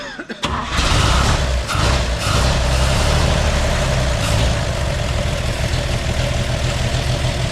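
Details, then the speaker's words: 1958 GMC pickup parked for years, first start attempt with a broken choke: the engine cranks, catches quickly and settles into a steady, deep idle without misses or knocks, so it runs healthy. "sounds like a machine"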